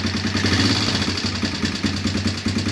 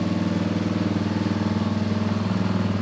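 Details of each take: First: Honda Recon ATV single-cylinder with a swapped cylinder head and new piston rings to cure smoking: a light, quick ticking rides over a steady idle, a top-end tick. Owner plans to adjust the valves; not confirmed. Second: Honda Recon ATV after carb cleaning, old gas removal and cylinder head swap: steady, even single-cylinder putter with no misses, knocks or smoke, then winds down; normal healthy idle.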